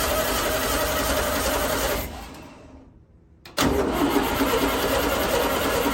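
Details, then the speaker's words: 1964 VW Beetle project with a noisy original starter, being started on poured-in gas. The starter churns about three beats a second, stops and resumes without catching. No-start from fuel starvation with a faulty mechanical fuel pump; an electric pump bypass is planned. "doesn't sound too happy in there does it and still no gas had some issues with this fuel pump but i wanted to try it anyway"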